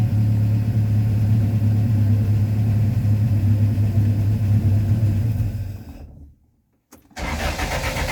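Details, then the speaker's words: Vauxhall Firenza HPF with Lotus engine conversion, on its first drive just after the distributor timing was adjusted a little too far: loud, lumpy idle with an uneven beat about four a second, then it cuts out, running rough and misfiring. "all right you can probably tell how it's running by the M the camera shaking we call it lumpy how about that say it's Lumpy"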